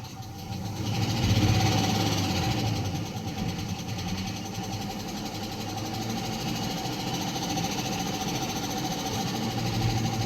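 Steady idle carrying a quick regular ticking knock, about three or four per second, that stays even; an internal engine knock of unknown cause.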